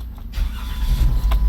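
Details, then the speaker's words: Chrysler 200 that had no current to the ignition coils, after running a jumper wire to the coil feed: brief crank, then the engine catches and settles into a steady low rumble; clean start after the fix. "and they crank right up here we go guys"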